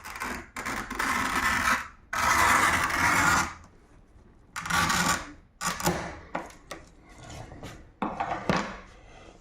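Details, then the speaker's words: Ordinary roller glass cutter held vertical, pressed lightly, scoring window glass: short bursts of crisp, even crunching; a cutter should cut, not scratch, and scratching means it is dull. Sharp glass cutter scoring. "you just heard the crunch of the glass the glass cutter itself is supposed to cut the glass but not scratch if it scratches the glass it means the glass cutter is Dull"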